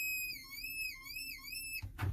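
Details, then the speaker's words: Ford F550: pressing brake pedal hard gives a high, wavering whistle-like squeal and slight hiss, like a child screaming under the dash; vacuum leak at the vacuum-boost brake assist booster. "this has what's known as vacuum boost brake assist and when you push in the pedal it pushes in that plunger but if we have a leak hear that slight hissing sound"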